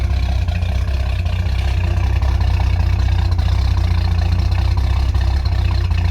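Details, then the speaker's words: Ford XG ex-police divisional van, restarted after the exhaust manifold was retightened: quieter but low, slightly rough uneven idle with a faint puffing tick on the exhaust note; manifold joint still leaking exhaust out the top. "Definitely quieter, but you can definitely hear an exhaust leak still down there. It's running a bit rough."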